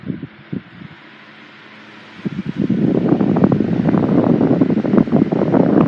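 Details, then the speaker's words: 1980s Sanyo 9-inch oscillating fan model EF709R, 40 W 120 V C-frame motor, freshly oiled, on high speed: steady whoosh with light uneven rattle from fan vibration resonating through the base, not the motor. "It does have a slight rattle to it when it's running on high speed, but it's not the motor that's doing that. It's just the vibration of the fan that's resonating through the bass."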